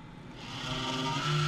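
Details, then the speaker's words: PC case cooling fan spinning back up after being stopped by hand: a low droning hum rises, then holds a steady buzzing tone because the fan turns slowly and unevenly, a noisy case fan. "이제 심각하죠 네 이게 회전수가 일정하게 나와야 되는데 회전수가 회전 속도가 느리면 이런 증상이 보여요 자 이거는 케이스 쿨리에서 나는 소리를 찾아낼 때 아 원인을 찾았다 그죠"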